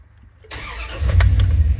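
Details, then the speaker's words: 2000 Dodge Ram 3500 van, 5.9L Magnum V8, automatic, about 138,000 miles, check engine light on, poor performance: catches quickly, then settles to a very low, lumpy idle that shakes the engine; idle too low and rough. "But then here's this really low idle. I'm glad it showed up immediately because it hasn't always done that. You can see the shake in that boozer."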